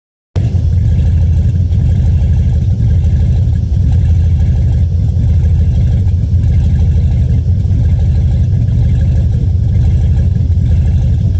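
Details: 4.8 GM LS V8 warm: deep, uneven beat that stumbles now and then instead of firing smoothly, an engine misfire.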